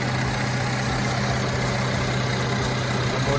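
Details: 2014 Mercedes C300 that came in with P2279 intake air leak code and rough idle; vacuum hose missing its screw, sucking air; after installing the screw and clearing codes, engine idles with a steady, even hum, no stumbles: normal idle.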